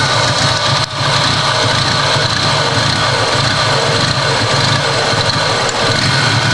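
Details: Toyota Supra with very rough idle, only just made to idle: uneven lumpy beat with a hissy, unsteady sound and a stumble near the first second; cause not yet clear.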